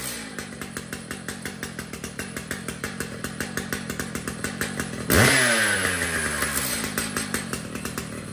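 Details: Brand-new Stihl MS 881 chainsaw: steady even idle popping about three times a second, then a clean snap to full revs and back down; sounds healthy and well tuned.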